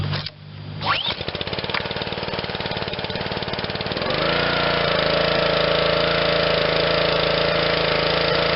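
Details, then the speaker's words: Honda GCV160 on Black Max 2600 psi pressure washer, restart after carb cleaning and fresh fuel: fires on first pull, steady even beat, then climbs smoothly to constant governed speed with no misses; works perfectly. "now let's try a restart so works perfect"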